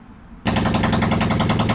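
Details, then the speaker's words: Cheap monkey bike single, running with exhaust off after reassembly, exhaust full of oil, slightly smoky: fast sharp uneven pops at low idle, barely running; needs throttle and carb adjustment; rough running. "Okay, well, as you can hear, she runs. Just about. Need a little bit of throttle carb adjusting."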